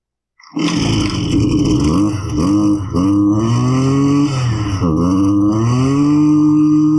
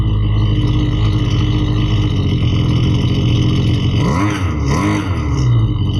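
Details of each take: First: Husqvarna 329L string trimmer: fires then revs sag and surge, dying as if out of fuel; loose intake insulator gasket loses crankcase pulse to the carburetor fuel pump, not a carb fault. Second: Husqvarna 329L string trimmer, which had been bogging, runs after reassembly and carburetor adjustment with a loud, even two-stroke buzz and a couple of smooth rev swells, no bogging: it runs properly.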